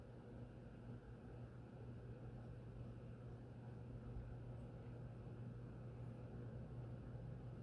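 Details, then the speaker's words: SMC Crescent 42-inch ceiling fan, model X426M, small motor: very quiet, soft low mid-range hum with a faint airy whoosh, no ticking or wobble. Normal smooth operation, almost silent. "That's about as quiet as the Fasco we tested before. It's not bad. Yeah, it's a lot better than I would have thought. That's not even unusable. It's almost silent. I hear, in the mid range, I hear a hum, but it's bedroom at worst."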